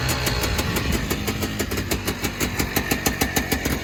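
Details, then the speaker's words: Honda FL400 Pilot at about 50°F, in neutral with choke held on: crisp, regular popping about three per second, steady, slight smoke; idles well cold once choke is off; clutch noisy when cold; normal cold idle on choke. "Leave the choke on for a second so you can tell that it's smoking just a little bit. I can kick the choke off and it'll actually idle pretty well to be cold."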